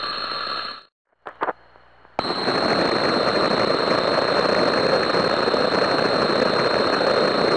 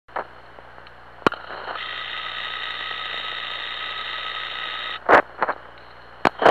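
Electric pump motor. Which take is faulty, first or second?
first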